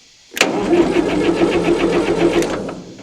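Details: 1960 Massey Ferguson FE35 4-cylinder diesel, long unused in a paddock, first start attempt after fitting a battery, checking oil and water and adding fuel; steady cranking about four compression beats a second for two seconds, stopping without catching: crank no start.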